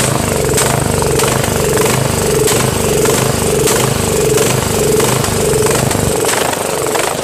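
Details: Craftsman 13.5HP mid-engine riding mower with a replacement single-cylinder engine, new starter, battery and key. It pulses loudly at about 97 times a minute, lumpy, speed rising and falling, sounding worse than before. Rough running and surging, cause unknown.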